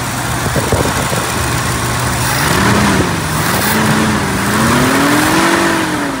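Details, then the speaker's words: 1969 Mercury Cougar 428 Cobra Jet V8 just after carburetor reinstalled with choke set; even burble with gentle rev swings on fast idle, no knocks or misfires, a small leak noted; running like a top, normal. "got it fired up we've got a little leak back here but I'll handle it play it top running like a top"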